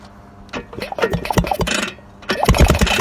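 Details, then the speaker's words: Vyatka Elektron scooter, long-stored, wiring reconnected with a 6-volt converter, being push-started; uneven clatter as the engine turns over but never catches because no fuel supply has been arranged yet: cranking no-start, no fuel supply. "Единственное, рано пробовать. Надо топливо придумать, как подавать."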